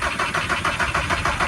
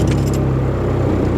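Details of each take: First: VW Caddy pickup with a 1.9 TDI PD130 diesel, fitted with a new starter on a spade connector and cranking much better than the old one. It cranks briskly at about three beats a second but never catches: a crank no-start later traced to a loose ignition switch wire. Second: VW Caddy pickup with a 1.9 TDI PD130 diesel after the fix, with a new battery and new starter. Key rattle, then it fires almost instantly and settles into an even idle: a healthy quick start.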